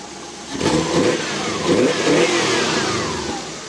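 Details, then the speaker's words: 1991 Volkswagen Westfalia with a Subaru flat-four conversion, revved in place: quick blips that drop back cleanly, even burbling note like a WRX or STI, no misses or knocks; healthy, free-revving engine. "and when we rev this thing up sounds really awesome it sounds like a it sounds like a 2.5 R s um Subaru car or like a WRX or even an STI they all got the same sound"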